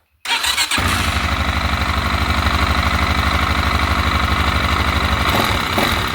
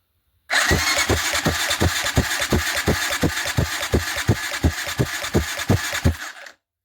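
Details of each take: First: TT 250 motorcycle with a rebuilt 166FMM engine where oil isn't reaching the head: the single idles with a steady tapping knock on every beat up top, suspected valve-gear trouble, not confirmed; top-end knocking. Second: TT 250 motorcycle with a 166FMM engine under rebuild, cranked on the starter after cleaning its oil passages: steady cranking with even compression thumps about three per second, no knock or rattle; turns over freely.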